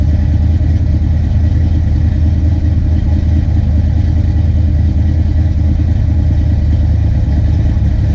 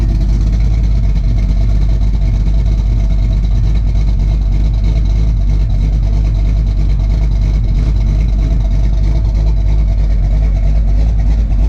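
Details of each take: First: Big-cam Fox-body Mustang LX V8: a lumpy idle that surges up and down instead of settling, caused by over-advanced ignition timing from a slipped harmonic balancer; TPS adjustment was tried, and the plan is to pull the distributor to reset timing at TDC. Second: Ford Fox-body LX V8 with a big cam after fixing its surging idle: deep steady choppy lopey idle with no hunting or surging; running great, timing possibly a little low.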